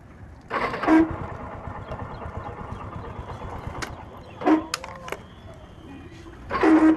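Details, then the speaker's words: Hero Deluxe 100cc motorcycle: harsh grinding rasp in short bursts each time the self-starter is pressed, between quiet running; starter motor grinding from a loose starter motor, fixed by tightening its screws. "इसका जो problem है दोस्तों जब हम self लेते हैं तो self में से खर बोलके एक आवाज आती है"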